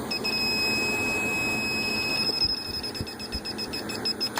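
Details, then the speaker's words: Condo AC with history of refrigerant top-ups, electronic leak detector at the indoor evaporator coil; steady high squeal turning to fast chirps just inside the coil, confirming the coil is leaking. "And it seems to be picking it up mostly right around there in the coil, so just inside the coil."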